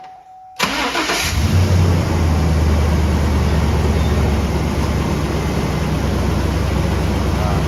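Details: 2003 GMC 5.3 V8 on its first start after an exhaust manifold leak repair: broken manifold bolts and a new gasket, the original tapping worst when cold. A short crank, then it catches at once into a smooth, even idle with a steady low rumble and no tapping.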